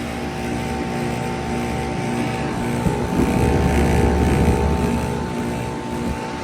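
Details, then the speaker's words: Heat pump running in heat mode, not frozen: heavy droning hum with a rough, growling throb that swells midway; a noisy, struggling compressor, cause not pinned down. "But shoot, that compressor still sounds bad."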